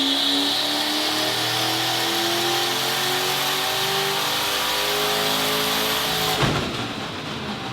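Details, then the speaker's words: Ford Fairlane turbo V8 driven hard: engine climbs through the revs, then a sharp bang and the drive note collapses as the tail shaft snaps under load, tearing the floor, fuel and brake lines and bending the exhaust; driveshaft failure. "Yeah, so that was the tail shaft breaking, which is pretty special. So after it broke, it also tore holes in the floor and ripped out all the fuel lines and brake lines and all that, bent the exhaust that Old Cock had just built."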